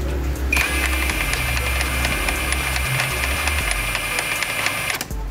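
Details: 1998 Yamaha R1 engine freshly rebuilt with machined crankshaft and vacuum fuel pump, knock persists after repairs: sharp uneven knock about twice a second from deep inside the rear of the engine; cause not found.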